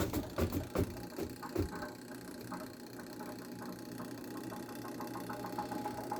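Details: Hitachi washing machine after repair, spin motor with broken brake removed: a few clunks as lid shuts, door switch closes and motor picks up into an even hum; normal spin motor start.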